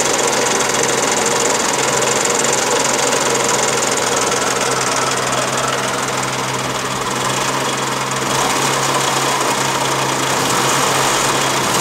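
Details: 1985 Daihatsu Charade: small engine idles with a steady rapid knock about three or four per second riding over the idle, source not pinned down; engine knocking.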